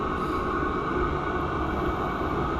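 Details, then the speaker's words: Chinese diesel air heater in a freezing garage during a polar vortex, burning hard: steady, even jet-engine-like roar with faint whistle, no pulsing or sputter; getting a lot hotter, burning normally. "you can hear it sounds like a jet engine getting hotter getting a lot hotter"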